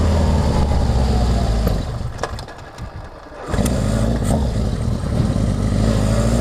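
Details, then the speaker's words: Honda CB750 on its first test ride after a full engine and carburetor rebuild, pilot jets tuned, cold at about 50°F with no airbox: sharp exhaust pops as the throttle eases off; needle and main jet adjustment is probably needed. "so I tuned the pilot jet on the stand low throttle is good you can hear it popping probably needs a little needle and main adjustment it's cold it's like 50 degrees and you know no air box"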